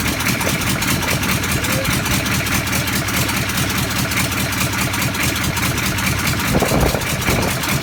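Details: Land Rover Defender V8 conversion, first run with no exhaust fitted and no coolant, started from cold: loud raw V8 burbling at steady idle through open pipes, even firing beat, no knocks; healthy normal running.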